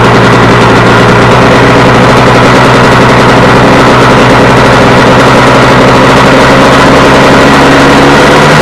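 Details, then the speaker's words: Warm KTM 250 EXC two-stroke on 40 pilot jet, idle lifted slightly: idle holds high and steady with a droning note instead of dropping back; owner says it runs away from being too lean. "And um it'll it'll start to run away. Just gets too lean and starts to run away. And you can listen to the noise it makes as it's running down."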